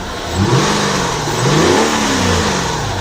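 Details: Nissan Cefiro after a hard-starting fault was fixed (a loose wire behind the fuse box): the engine blips up smoothly and falls cleanly back to idle twice, with no stumble or hesitation; healthy rev response.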